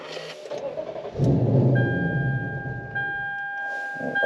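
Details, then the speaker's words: Lexus ISF with newly installed RR Racing Rotrex supercharger, still on stock map: starter cranks briefly, engine catches unevenly and stumbles before settling to steady idle; rough start that always does that. "Still on the stock map, but uh let's see if it starts rough again."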